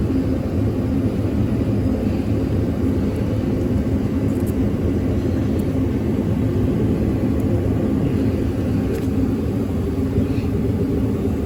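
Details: 2014 Ford F-150 5.4L V8, crank-no-start, after jumpering fuse positions 48 and 27: steady, even low rumble with no misses, knocks or surging; now starts and idles smoothly.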